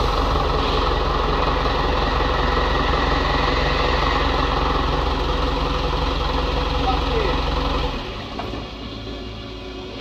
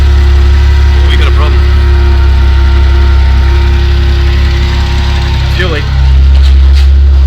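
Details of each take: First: Isuzu NPS truck with freshly transplanted Euro 5 diesel, no radiator or intercooler yet, short restart: steady clatter with even idle beat about three a second until shut off; sounds healthy. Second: Isuzu NPS truck with transplanted Euro 5 engine, still cold, plugs and coils just refitted: heavy steady idle with occasional stumble where the beat drops out; definite intermittent misfire, owner doubts it's a coil, cause unconfirmed.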